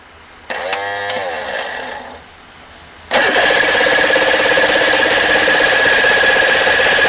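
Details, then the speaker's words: Force 85 hp outboard, long unused, running after stator and flywheel work, cranks several seconds then catches into a harsh, uneven, buzzy idle. Fuel pours out, suspected from the number two carburetor, and the linkage has been tampered with; rough running. "t's firing so we're going to go ahead and start it up and listen to it run and it's not going to run well and then go into our carburetor type issues"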